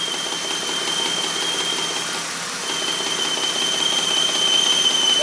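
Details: Car ignition coil heard through a telephone recording pickup coil placed on the coil with the engine running: fast, even ticking buzz over a high steady whine, pulses regular with no dropouts. Coil firing normally.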